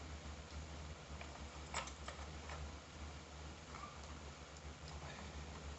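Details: AZ GTi telescope mount bought from AliExpress, RA clutch knob issue: faint irregular light clicks over low motor hum from the mount drive; intermittent clicking, cause suspected, not confirmed.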